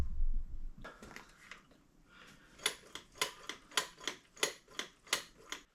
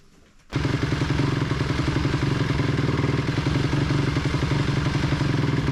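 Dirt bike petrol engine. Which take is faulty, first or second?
second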